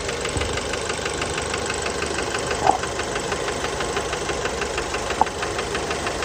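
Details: Fiat Bravo 2, 1.4 T-Jet 150 HP, 215,000 km, recently serviced, recorded close to the engine at idle: steady, fast, sharp metallic knocking in time with the idle over the engine hum. Worn rod bearings knocking; cause unknown, car scrapped.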